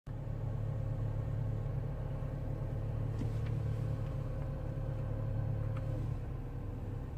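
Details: Loud buzzing rattle from the air conditioning system on a BMW E92 335i, following engine revs; a coarse rattle over a low steady rumble around the idle beat. Cause unknown.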